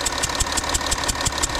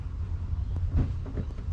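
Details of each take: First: 2012 Audi Q7 diesel idling at morning cold start with a sharp rhythmic hissing puff, about six a second; owner suspects compression leaking past an injector seal on one bank, diesel smell noticeable. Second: 2012 Audi Q7 diesel after injector work to cure an idle hissing air leak: the starter cranks, it catches within seconds and settles to a steady idle with no hiss. The previous hard starting from no diesel at the injector is gone.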